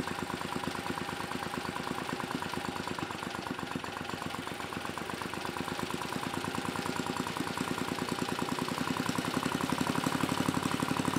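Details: Mid-1980s Troy-Bilt Junior tiller, 3 hp Tecumseh HS35 engine (H35-45593R), after carburetor cleaning; pilot needle tuned, idle lowered to about 1,000 RPM. Smooth, even low single-cylinder putter, no misses or hunting; normal clean idle.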